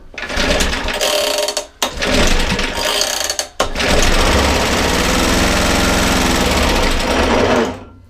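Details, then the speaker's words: 1950s-60s Suffolk Super Punch 17-inch cylinder mower, SIF 75cc cast-iron single, after points cleaning: catches and rattles loudly for a few seconds on starting fluid, then dies; carburettor suspected to need cleaning. "absolutely brilliant fired up did you all hear that I heard it I'm super impressed and super pleased"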